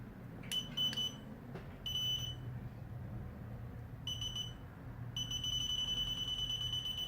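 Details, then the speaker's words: Pinpointer comparison: an older probe, said to perform about like a Garrett and needing to touch the target, shown beside the Tek Point. High shrill beeps in irregular bursts, then a long steady tone with nothing probed; erratic false signalling. "it starts faulting rubbish or put probs the way of falling again don't turn it off"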